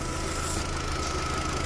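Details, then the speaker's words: Warm idle of a BMW-built Mini Cooper after cylinder head gasket replacement, head pressure-tested and skimmed, new thermostat and housing, original timing chain reused; smooth steady hum with faint constant whine, no knock or misfire; normal idle. "all right stop tell me if I get that out um it sounds good anyway I think a decent enough engines with BMW ones"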